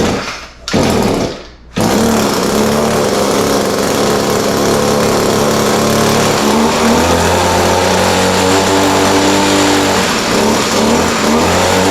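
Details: Echo SRM-210 straight-shaft line trimmer after repair kit (new carburetor, primer bulb, fuel lines, air filter), started on half choke, needed slight carb adjustment: after a short pause settles into a steady high two-stroke buzz without stumbling or surging; normal running.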